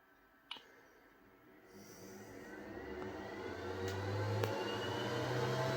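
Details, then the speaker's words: Snapmaker enclosure with the upgraded boosted exhaust fan, just installed and detected after a firmware update: steady whir climbing to a loud, even hum at full speed; healthy but noisy, speed adjustable by G-code. "and it's pretty damn noisy as you hear the fan is pretty noisy but gladly there is a solution"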